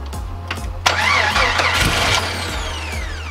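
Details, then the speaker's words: AMC 4.0 inline-six after rebuild, first start with flat tappet cam and break-in oil: uneven cranking that catches and stumbles with harsh bursts, starter kicking back; suspected timing (had been set wrong, then corrected) and bad grounds. "And I think it was the kicking. Timing. I agree."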